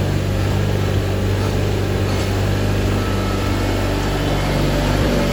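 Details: 1987 John Deere 420 garden tractor, 20 HP Onan gas twin, 1897 hours, running: steady, even low drone with no misses or knocks; starts and runs smoothly, normal running.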